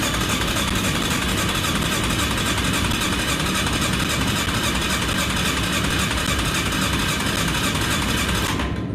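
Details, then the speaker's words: Yamaha Kodiak 450 ATV, fuel on reserve, choke on, cranking with throttle: steady starter churning about four pulses a second with no catch or cough, never fires; owner suspects a fuel issue and plans to drain the fuel. "so to me that's an indication that we've got a fuel issue i think we've got to empty the fuel around this way"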